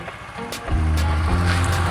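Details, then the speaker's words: Honda Vario scooter after a starter repair, started with the kick lever: fires at once and settles to a smooth steady hum with no ticking or knocking; the earlier ticking blamed on a scored piston is gone. "tentu teman-teman suaranya bersih ya sudah kayak motor baru ya sudah nggak ada suara ngelitik-ngetik lagi"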